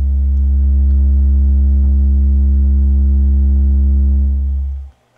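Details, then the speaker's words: Miller & Kreisel V-2B subwoofer after the main filter capacitors were replaced, first power-up with a 70 Hz test signal: a deep, steady tone holds evenly for nearly five seconds and stops cleanly, with no hum, buzz or distortion. "oh and there's no hum whatsoever last time there was a slight hum in the background probably because of bad caps"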